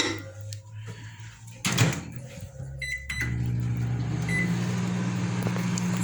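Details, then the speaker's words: Consul CM020 20-litre microwave after magnetron replacement (previously loud noise and no heating): door thump, keypad beeps, then a steady even low hum; loud noise gone, normal heating run. "e ele não tá fazendo mais aquele barulho forte e tá fazendo barulho normal dele"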